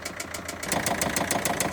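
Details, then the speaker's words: Great Wall Wingle 7 GW4D20D diesel, warm, revs dropped from warm-up idle: the knock is louder and sharper, metallic ticks about seven a second, seemingly from the top of the engine; lifter or rocker suspected, not confirmed. "now he’s more visual, he’s louder now dropped the revs from the warm-up more so visual more sonorous this sound"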